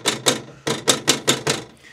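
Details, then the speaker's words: Mobilvetta motorhome at 1,512 miles, oven sitting loose in its housing, shoved by hand; seven sharp clattering knocks about a fifth of a second apart; finding: loose oven rattle. "then there's the next thing which is actually this so this this is the oven now"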